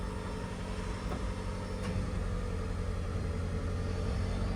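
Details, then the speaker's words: 2010 Mitsubishi Delica D5 4WD van, 159,000 km, just started after cleaning battery corrosion, starts right up: low, even idle rumble holding steady, no ticking or miss, load easing slightly; healthy normal idle. "Let's see what it sounds like. Oh, starts right up. That's good. Sounds real healthy."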